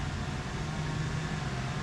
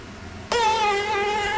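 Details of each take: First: Kandi Cowboy/Innovator dump bed actuator, bench-tested after repair and reassembly with grease: quiet, even low electric hum as it retracts smoothly without grinding or clicking, stopping at the limit switch — normal actuator retraction. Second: Kandi Cowboy/Innovator dump bed actuator on the bench: harsh wavering high whine with rough grinding, rust inside; top bearing seized solid, a common failure.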